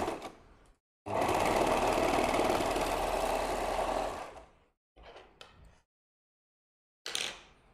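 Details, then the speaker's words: Serger sewing machine, oiled, run at full speed through thick fabric: loud, fast rattling chatter for about three seconds then stops; noise because it should be run slowly on thick fabric. Normal running. "Kalın yaparken yavaş çalıştırmam gerekiyor makineyi. Ama yayında olduğum için de yavaşla çalıştırmıyorum. O yüzden biraz sesi çıkıyor."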